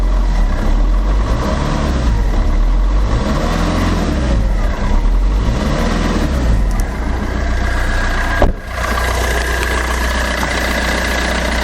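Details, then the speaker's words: Fiat Doblo after oil sump replacement and new exhaust with cat fitted: smooth even idle, deep steady hum, less bassy than before, no rattles, ticks or leaks; engine and exhaust sound healthy. "oh that sounds so much better that sounds fantastic it's not as bassy"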